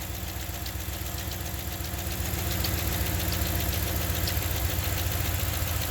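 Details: 2015 Ram 1500 5.7 Hemi at steady idle with a light, fairly regular ticking. The tick stays with the drive belt removed, so it is internal to the engine; the cause is suspected, not confirmed.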